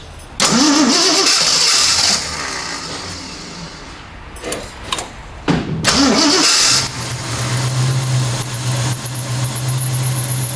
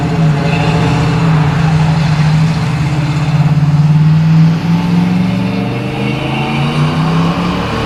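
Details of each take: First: 1979 AMC Spirit AMX, 304 V8, just after carburetor swap; cranks, fills bowls, catches and idles steadily with a thin high squeal riding over it — belt squeak. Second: 1979 AMC Spirit AMX, 304 V8, on a drive after replacing the vacuum-secondary Jegs carb with a mechanical-secondary Brawler carb, same jetting: deep V8 note climbs smoothly and pulls strongly, no stumble or bog; normal acceleration, idle speed still needs adjusting.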